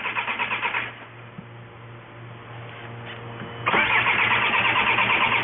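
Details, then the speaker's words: 2004 VW Jetta wagon 1.9L TDI BEW diesel that quit while driving: starter cranks evenly about three times a second, pauses, cranks again, never catching; no-start from fuel starvation. "But the point being, the complaint is no start. Can you get in it and crank it for me?"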